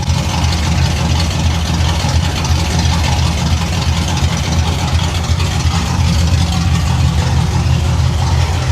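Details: 1989 Pontiac Trans Am GTA V8, a salvage car unregistered for nearly 17 years that earlier ran poorly, now settles into a steady, even idle with a deep low rumble under background music; an exhaust leak is noted afterward. Normal idle.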